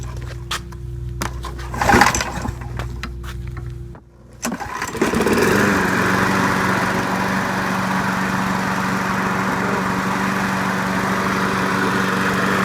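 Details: Craftsman Platinum EZ Walk lawn mower, 6.75 gross torque engine, after carburetor replacement: quiet handling noises, then one pull fires it at about four seconds and it settles into a smooth, steady run; healthy.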